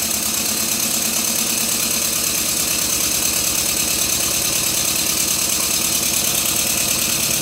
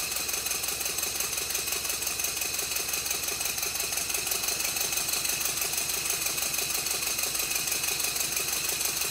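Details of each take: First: Stuart Twin Victoria model steam engine, freshly rebuilt and still stiff, run on compressed air: steady tick about two per second over air hiss; loose crosshead pin knocking each stroke, fixed with a little thread lock. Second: Rebuilt Stuart Twin Victoria model steam engine, baseboard on bubble wrap, after a minor timing tweak, re-oiling and silicone O-rings fitted to the crossheads: quick, even light ticking at a steady beat, no knocks; running smoothly and well timed.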